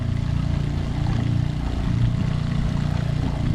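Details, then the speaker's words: RV Shurflo water pump after adjusting its pressure screws (bottom one tightened): low steady pulsing drone with rapid even chatter that keeps running about 4.5 to 5 seconds after the tap closes; slow shutoff. "Turning it off now. 1, 2, 3, 4, 5. All right, that was about a 4.5 to a 5 count."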